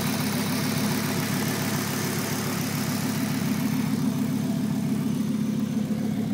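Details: 1996 Volvo 850R on 93 octane at stock boost, idling: light tick about three to four per second from the driver side of the engine, fading in and out; owner unsure if it is normal, cause unknown.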